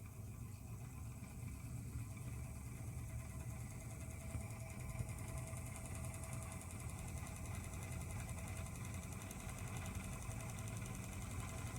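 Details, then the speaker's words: Vintage Elcon disc fan from about 1930 with the brush slider set too loose: a steady low motor hum with a faint fizzing crackle on top as the brushes spark on the commutator, and the motor slows and stops. "sparkies in there yeah Sloane write down now the newly stopped"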